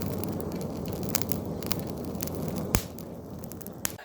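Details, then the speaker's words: Coal forge with blower brought up to the right speed: steady roaring hiss and breathing whoosh over crackling coal, a sound absent until the draft is right; correct forge air draft. "When you hear that sound, you'll know it. It's one of those things. It'll change because up until that point, you will not hear anything."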